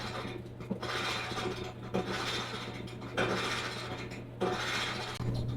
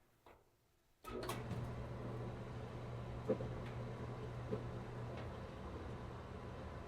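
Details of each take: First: Maytag dryer running: rhythmic scraping squeak and grind repeating just under once a second as the drum turns; cause unknown, bearing or wheel suspected, possibly worn drum roller or idler. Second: Maytag dryer after squeak fix (drum reinstalled, lubed, lock washer fitted), run with vent connected: steady, even low hum, smooth drum turn, no squeal, thump or scrape; running cleanly.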